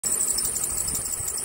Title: Squeaky Belt Fix